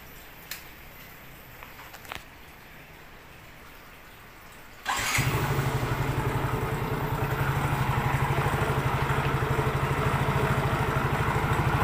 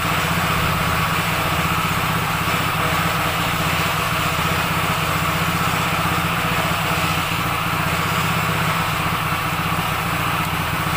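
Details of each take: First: Yamaha Mio J scooter idling and revving: coarse, rattly drone from the CVT/belt drive side that roughens with revs; inspection found the CVT roller housing loose. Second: Yamaha Mio J scooter that had a rough noise traced to a worn, loose roller housing in the CVT, heard after the repair. Steady single-cylinder idle, an even putter with no knocks or rattles: a healthy idle.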